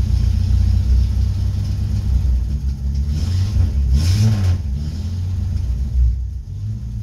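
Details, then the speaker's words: Old Nash flathead six, 6-volt positive earth, first run after long storage with no coolant: deep heavy rumble, lumpy uneven beat as revved; flooded earlier, now running rough, smoky, blowing black soot. "that's awesome makes me happy kind of blew some black soot all over but he's running all"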